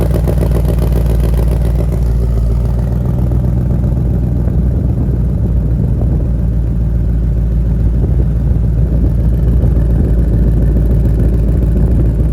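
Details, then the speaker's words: Ford Mustang RTR Spec 5 10th Anniversary with a damaged exhaust, at idle: deep, heavy idle with a faint, steady metallic clatter under the rumble, also heard under acceleration; exhaust rattle, source not found after checking hangers and sway bar. "It's clear there's like a rattling sound under acceleration now. Even whenever you're idling, you can hear it."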